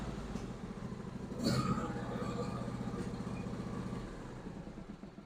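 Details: John Deere E140 garden tractor with 22 HP B&S twin, previously running on one cylinder because one side wasn't sparking (mice damage), now both cylinders fire: steady even low putter, may smoke a little until the cylinder cleans out.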